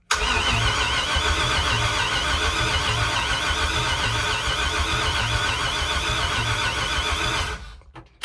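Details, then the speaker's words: LS V8 swapped into a 1968 Ford F100, first crank with fresh plugs: steady starter cranking about 3.5 beats a second with uneven beat strength; uneven compression suspected, cylinders looked poor on inspection. "sweet it turns over sounds like it might not have the most even compression but cylinders in this motor didn't look ideal"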